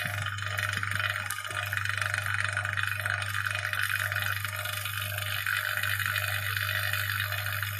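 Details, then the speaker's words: Vacuum pump used for wood scale saturation, reconnected through the gauge valve after holding vacuum, with a lid not perfectly sealed. Steady low hum and buzz with a slight tone shift as it resumes pulling; normal. "Si je remets en communication ma vanne, on entend bien sûr le bruit de la pompe qui change légèrement, et voilà, c'est reparti, on aspire encore."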